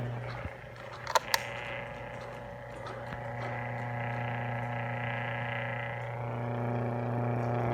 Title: [SHOOT!] Buzzing And Rattling Noise On My 2 Year Old Hanabishi “Summer Wind” 12” Wall Fan